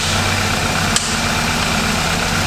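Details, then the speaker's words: Wrecked 2018 Audi S3 8V 2.0 with front-end and engine damage, first start after crash, no dash lights; uneven lumpy idle pulse like a missing cylinder; owners suspect plastic inside or broken throttle body; rough idle with misfire. "there's some bad noises let everyone any lights on the dash there's no lights at all no no no we've got some bad noises potential plastic in there possibly"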